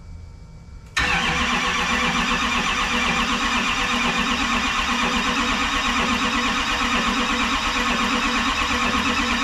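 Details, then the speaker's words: Rebuilt Duramax diesel in a 2012 dually with a new S&S CP3 pump, first start attempt on the charger with no fuel in lines or injectors: the starter cranks steadily with an even chatter and no catch yet while the system primes. "hopefully we're gonna try and uh start this thing off mind you there's uh no fuel in any of the lines or injectors so uh we'll see how this goes"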